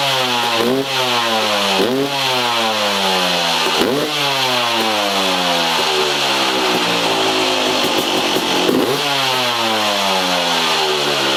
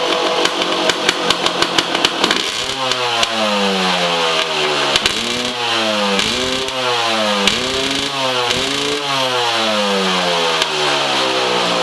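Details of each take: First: 2003 Yamaha YZ250 two-stroke, exhaust silencer repacked with $5 Home Depot fiberglass insulation, camera in the same position as the before test, fan running: crisp revs climbing and falling about every two seconds with a clean, mellow crackle; sounds much better than before. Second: 2003 Yamaha YZ250 two-stroke, warm (ran 10 minutes earlier), slightly loaded up and being cleared, before silencer repacking; sharp crackly blips then repeated revs rising and falling with loud raspy bark and pops; worn-out silencer packing.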